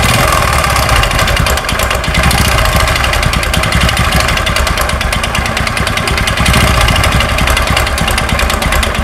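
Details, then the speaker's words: Honda Supra X 125, a carburetted single cylinder with unknown history: a harsh, rattling clatter, rough and loud, worse when revved. A mechanic suspects two knocks, from the connecting rod and piston slap, not yet confirmed. "Suaranya sangat ekstrim sekali, apalagi ketika digas. Di sini suaranya amburadul Pak. Nah, menurut dugaan saya sementara ini ada dua ketukan."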